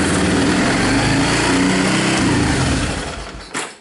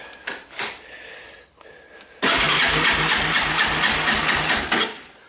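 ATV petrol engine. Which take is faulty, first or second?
second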